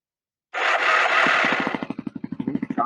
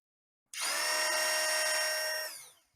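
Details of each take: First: Kawasaki KLX 250/300 adventure bike, starter motor just refitted with original casings after failing off-road; rapid metallic clatter about ten hits a second while cranking, harsh and rattly; torque limiter suspected, not confirmed. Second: Kawasaki KLX 250/300 starter motor removed and free-run on the bench after it stopped working off-road: clean steady high whine about two seconds, then smooth spin-down without grinding; starter itself normal, starter shaft gears found slightly worn.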